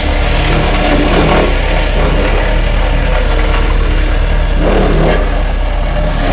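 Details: Homemade hydraulic vibratory roller from old Case 252 roller front end on Cat 226B skid steer, switched on and rolling: loud steady diesel drone with fast even shaking rumble, no knocks or surges; normal operation.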